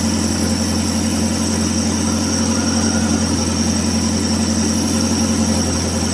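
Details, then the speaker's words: Futura (T120SS) carburettor with idle air hole for the idle mixture left open: steady idle with a slightly uneven, hunting pulse; mixture short of fuel, smoothing when the air hole is reduced; lean idle mixture. "Oke kelihatannya eh terlalu apa ya kurang bensin ini untuk campurannya"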